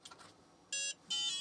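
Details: Book8088 8088 PC-compatible laptop after replacing a flaky UMC 82C88 chip; a few short high electronic POST beeps in quick succession as it powers up; clean, normal start.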